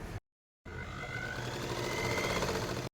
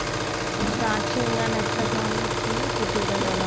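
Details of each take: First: Sewing machine after cleaning, oiling and reassembly; it earlier made a tak-tak sound and broke thread. Now a quick, even stitching patter over a light motor hum, about four beats a second, no knocking. Runs smoothly. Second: Tailor's sewing machine just cleaned, neatly oiled and reassembled; loud rapid clattering at about four beats a second with a busy rattling edge, still noisy despite the oiling. Cause unclear.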